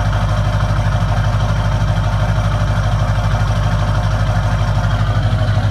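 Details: 2002 Duramax LB7 in snow, high idle set via EFI Live tune and Edge CTS2, AFE intake, 4" MBRP straight-piped exhaust: deep, even chug about three pulses a second, steady, no rattles; a healthy cold high idle.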